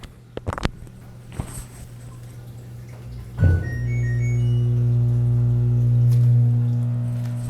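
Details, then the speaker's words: LG WT1101CW direct-drive washer at power-on: a few clicks then a steady low motor hum that never stops, drain motor running constantly from a bad component on the control board (stuck relay), replaced with an OMIH-SH-112LM relay. "that humming sound that is the wash motor running why is it running got me turn it off"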